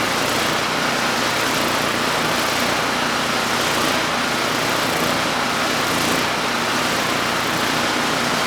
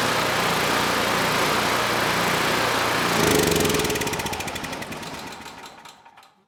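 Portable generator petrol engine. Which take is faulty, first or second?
first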